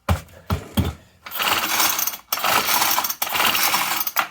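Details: Ryobi S430 four-stroke trimmer, run dry after an oil leak from a loose cap, melted plastic cam gear broken by the timing belt: several quick pull-cord rasps, engine turning freely and seeming to have compression but never firing; no-start.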